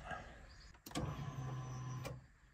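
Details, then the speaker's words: Nissan 370Z, brand-new fuel pump just installed, key cycled on to prime it (about four primes): a short quiet electric whir after a click. The new pump is priming normally. "first we need to prime the pump cuz it's a brand new pump it's a primal pump we got to basically cycle it to on a couple times and you'll hear it Prime"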